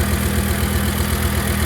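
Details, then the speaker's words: 1998 Volvo V70 that cranked with spark but would not start (injectors not firing) despite new fuel pump, fuel pump relay and injector relay; fixed by reseating a loose connector near the battery; steady even idle, no knocks or misses. "well I just fiddled around with it um and put it back together and um it fired right up"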